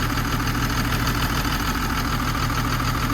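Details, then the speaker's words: Old 140 Mark 1 LC excavator diesel, probably unserviced about three years, running again after a fuel fault (not high pressure) was fixed; cold engine idling steadily with a slight miss, likely just from the cold, normal idle. "it is got a little bit of a Miss but I think it's just cuz it's cold it's a old engine"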